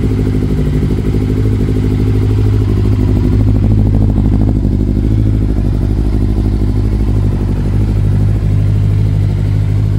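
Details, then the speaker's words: Yamaha Thunderace YZF1000 1000cc warmed up: deep, steady exhaust burble with even beat and no ticks or knocks; idles cleanly. "it sounds amazing listen to this exhaust"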